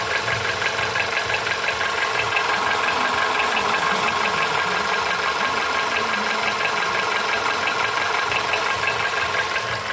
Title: Стук в двигателе поло седан